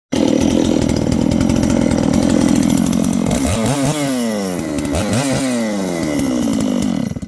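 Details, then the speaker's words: Returned chainsaw, reported as a no-start, runs after just adding gas, priming and a couple of pulls. Settles to a steady even idle, then revs up and down cleanly with quick throttle response. Healthy chainsaw running. "Put gas in it. Pulled it a couple times, primed it. That's it. Started it. That's it."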